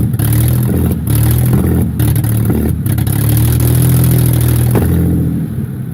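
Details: Mercedes W210 E240 V6 petrol engine, 116k miles, running with no exhaust: loud, raw, uneven beat with a drop-out roughly every second; misfire.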